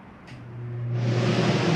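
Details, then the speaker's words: Normal air conditioner startup in an Open Range 2710RL RV, switched on at the hallway thermostat set to cool and turned down: a low hum, then a steady fan and compressor rush building smoothly, no rattle or squeal. "go ahead and turn that on cool turn this down and get the ac to kick on"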